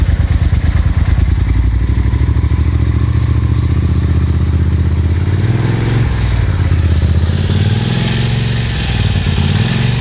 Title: Rattling noise, camchain tensioner fail, yamaha TDM900 RN08